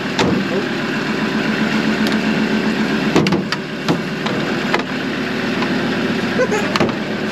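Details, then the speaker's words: Dirt nationals race vehicle starting after a broken crimp on the starter wire was repaired, following a no-start: steady, even, healthy idle with a low smooth drone and a few clicks, no knocking or missing. "So, I've just repaired that wire down there to the start. See what happens. That's a good sound."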